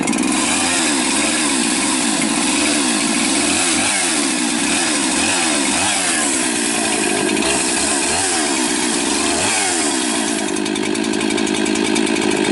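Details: Rebuilt 371 chainsaw with new top end and new carburetor (compression raised from 80 to 130–135), first runs after sitting long; high crisp two-stroke whine cutting, briefly sagging under load and recovering; healthy.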